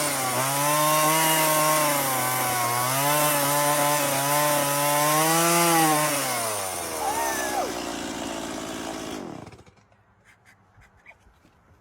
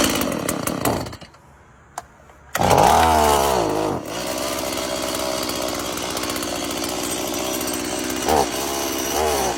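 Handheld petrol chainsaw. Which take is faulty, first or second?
second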